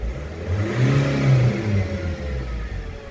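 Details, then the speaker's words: Nissan/Vauxhall/Opel diesel with clogged EGR valve, before cleaning, revved with smoke visible: revs rise unevenly and sag partway through the throttle blip instead of pulling cleanly, a throttle hesitation. "you can see it there now that's before cleaning and hopefully you can get the hesitation in the throttle there hopefully you heard that did ya"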